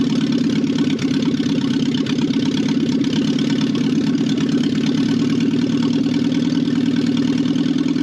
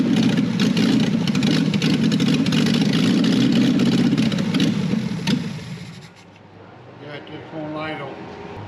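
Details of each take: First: 1968 BMW 1800 barn find: a smooth, even idle with a steady mid-pitched hum and no knocks or misses. Normal idle; old, badly degraded gas was later found in the tank. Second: 1968 BMW 1800 barn find with a cleaned carburetor: the engine catches, runs rough for about five seconds, then fades and dies. Fuel starvation; a blocked idle circuit in the carburetor is suspected.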